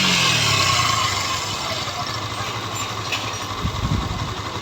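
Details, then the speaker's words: Yamaha FZ-S V2 whose engine sound went harsh when hot, after engine repair with new cam and rocker parts: a rev blip settling into an even single-cylinder beat without ticking or rattle; normal idle. "এই যে দেখেন গাড়ি ওকে হয়ে গেছে এবার sound শোনেন তো"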